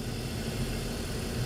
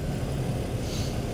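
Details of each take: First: 2005 BMW 325i with cylinder 2 misfire (P0300), after replacing the ignition coil: steady even idle with smooth low hum, no stumble or skip; misfire gone, waveform much better. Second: BMW 325i, believed 2005, idling with P0300 and cylinder 2 misfire, intermittent: lumpy uneven low thrum, dead miss; coil back-probed with attenuator, compared against known-good cylinder 1.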